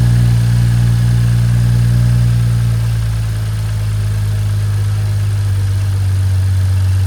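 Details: BMW F30 at about 100k miles, just after DIY oil change: steady even low idle with smooth uniform beat, no knocks or ticks; normal healthy idle.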